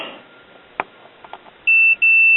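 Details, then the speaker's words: Continuity check on a 1957 RCA Institutes kit AM tube radio chassis, one meter lead on chassis: two clean steady beeps confirming good ground connections. "and that's good so everything is grounded as it should be"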